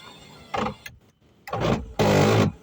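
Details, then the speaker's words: 2008 Kia Picanto Cosmo driver's power window: short whirring runs of about half a second each, rougher and louder on the last pass; the window works but is noisier than normal and likely needs servicing, exact cause unknown. "Nah, kan cuma teman-teman ini minusnya tuh di bagian power window supir, emang ada suara agak-agak berisik seperti itu, kayaknya harus diservis."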